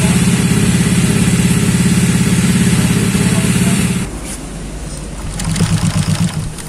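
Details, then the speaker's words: Honda Vario 125 bored up to 140cc with FIM piston: loud lumpy idle pulsing near three beats a second before easing off; torn down still hot, a part found wobbling loose inside, rough running from loose internal part. "Nah teman-teman setelah kita mengetahui suaranya mendengarkan dan mengetahui hidupnya tadi hidupnya agak kasar ya pertama ini langsung kita bongkar ini masih panas banget ini kita cek dulu yang jelas ini dia goyang ini tuh goyang panas nih goyang ya ini kendor"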